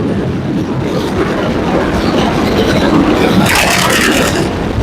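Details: McCormick-Deering 22-36 tractor from the early 1930s, back running after being stiff and loosened up, being driven outdoors; chugs along with a steady, loose beat over rough outdoor noise, pulling smoothly: normal running.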